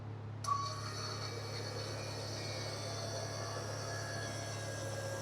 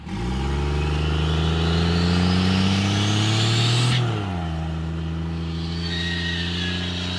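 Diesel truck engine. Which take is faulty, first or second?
second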